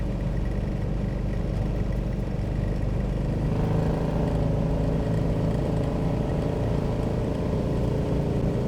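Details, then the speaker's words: Transmission whine, possibly the pump, on a rebuilt used-parts transmission (likely Turbo 350) in a 1955 Chevy Napco clone: low road drone with a faint steady hum while pulling, no shift; first and second work, no third gear, pump suspected noisy and leaking. "We got no third gear. And I think the pump is making noise and leaking."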